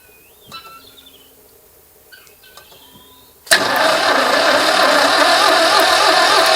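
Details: 2CV-engined handmade three-wheeler barn find, stored dry 25 years, started after being sprayed with starting aid: birdsong, then the twin catches suddenly and settles into a steady, even idle with busy chatter; normal idle.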